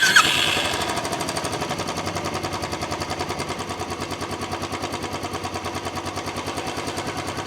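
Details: Royal Enfield Classic 350 at idle: a fast, sharp, even knocking at roughly three beats a second rides over the single throughout. Rapid engine knocking of unknown origin.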